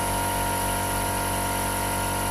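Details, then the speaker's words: 2015 Jeep Grand Cherokee Overland Quadra-Lift air suspension after repair, with codes C156E and C15D9 earlier: smooth, steady compressor hum at constant pitch, no knocking or straining, lifting the vehicle normally. "just lifting absolutely perfect look at that wow"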